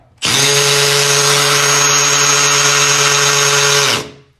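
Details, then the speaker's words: Hammer drill drilling concrete floor for toilet flange bolts: loud high buzz with a hard rattling grind, showing the hammer function is working, then spinning down. "okay listen carefully you will hear the grinding sound and that grinding sound means that the Hammers doing this job"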